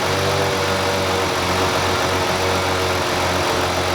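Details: 2005 Ford Freestyle 3.0L V6, warm idle with slightly uneven beat and hum dropping out every second or so; misfire with no codes, milder when warm, worse under load.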